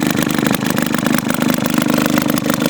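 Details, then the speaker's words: Fully restored Maytag 72 single-cylinder engine: crisp, even putt-putt at a steady idle with no misses or knocking. Runs well, pops a little until adjusted. "And I mean, it runs real good. It pops a little bit, but once you get it set okay, then it usually seems to be alright."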